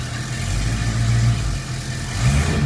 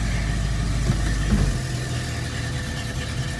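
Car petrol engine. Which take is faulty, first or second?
second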